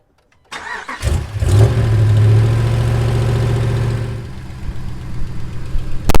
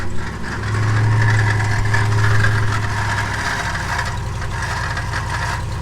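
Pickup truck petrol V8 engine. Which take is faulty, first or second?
second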